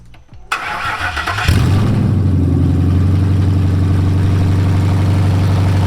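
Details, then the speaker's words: First start of a Ford Coyote engine swapped into a 1961 wagon, oil pressure checked, loose dipstick tube noted: the starter cranks briefly and the engine catches into a steady, even low rumble, sounding just like a Coyote. Healthy start. "it sounds like it's sound it sounds just like a coyote yeah even coming through those tiny little"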